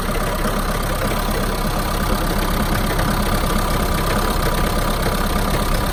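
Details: Mahindra Roxor diesel just after a cold start in winter (about 15°F expected): idle clatter with an uneven, lumpy beat of about three pulses a second, missing; runs rough for one to two minutes, then settles out.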